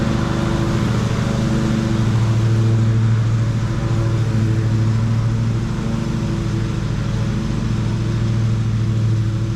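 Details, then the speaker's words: Ariens riding mower (model 93606800/A25KH54) after a drive belt replacement for a mower that stopped moving: a steady, even low hum with no belt squeal. The earlier belt noise is gone and the drive runs smooth and quiet. "Well, everything seemed to work fine. It was good and quiet. So, that was the main thing. I could hear that belt making noise before and now it was good and smooth."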